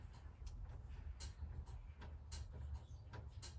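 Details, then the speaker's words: 1970 VW Beetle with the ignition key on: faint sharp clicks about twice a second over a low hum from the carburetor's electromagnetic fuel cutoff solenoid. It is switching normally, showing power reaches the coil. "I should get a click back there telling me that I've got power going back to my coil because my electromagnetic cutff switch is working on the carburetor."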